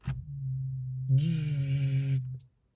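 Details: 2016 Volvo V40 D2 2.0 diesel that won't start. Turning the key gives a steady low hum with a brief whine, but the engine never turns over; no-crank condition, cause not yet found.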